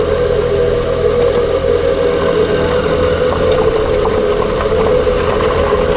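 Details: 2021 Ford Kuga PHEV with its engine running steadily after a new clutch damper and flywheel were fitted: a constant mid-range whine above the idle hum.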